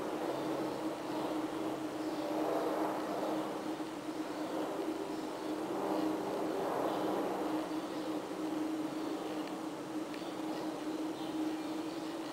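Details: Ventilation equipment installed April 2009 in a basement boiler room: constant airy roar with a steady mid-pitched hum and slow swells in loudness, running loud, previously 24/7; cause unknown.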